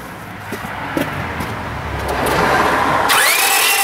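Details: Honda Civic 1.7 towed in crank no start: starter whirs with fast even unloaded spin, no compression beats; timing belt snapped and shredded.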